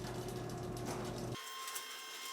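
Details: Garage door opener triggered by touching the button wires together to simulate a Sonoff smart-switch relay: even motor hum runs briefly then cuts off cleanly, leaving a faint tone; opener starts and stops normally.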